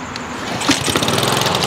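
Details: Honda walk-behind mower with auto choke deleted and manual choke fitted, started on first pull with full choke: small single-cylinder catches quickly, settles into fast, even putter with no misses; normal start.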